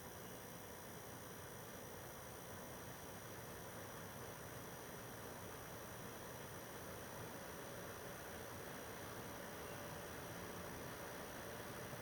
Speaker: so I mean you can hear it you can hear it come up a little bit it's really not that loud it's not that bad and that's pretty much expected um uh for this uh 7215b